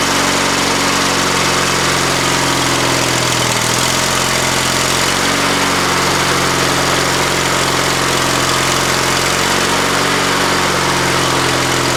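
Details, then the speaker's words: Used lawnmower engine on an old Ariens walk-behind mower after new top fitted, choke on, throttle up, old fuel: steady, even engine note with no knocks, misses or surging, running well until it apparently ran out of fuel. "Well, it ran good. Runs really good."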